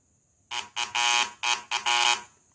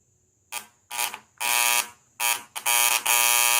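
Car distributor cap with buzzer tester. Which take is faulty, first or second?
second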